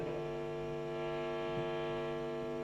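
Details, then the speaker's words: Guitar single-coil pickup turned up: horrendous steady low hum with stacked tones from electromagnetic interference, reduced when an aluminium pickguard is held near it without touching. "so once again turn it up soon coil [Music] horrendous noise and putting the pickguard near it not even on it not touching there you got"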